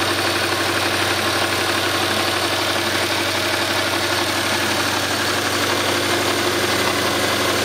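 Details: Subaru Impreza RS petrol boxer idling after a rallycross, steady hollow knock beneath the running noise; suspected rod knock, not confirmed.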